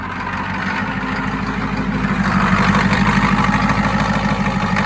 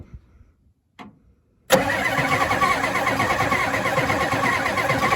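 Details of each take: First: 1992 Ford F-250 7.3 diesel, 4WD 5-speed, supposedly rebuilt engine, on its first start after sitting since 2004. The engine settles into a steady, even idle with a regular low clatter and no misses, sounding healthy. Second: 1992 Ford F-250 4x4 7.3 diesel, 5-speed, supposedly rebuilt engine, sitting since 2004, two mismatched batteries, first start attempt: after a quiet spell starter cranks at an even churning beat about three a second, never catching; no ether used.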